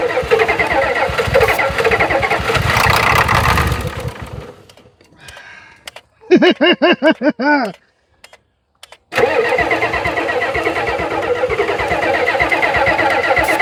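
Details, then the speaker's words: 1991 Ford F350 dually, 7.3 IDI diesel, unrun since 2010: clatters, fades and dies, then short starter bursts before catching again; hard start, won't stay running. Owner suspects fuel delivery or low fuel pressure and may fit a fuel pump; starter smoking; unconfirmed. "All right, she runs. Just got to figure out the fuel delivery system."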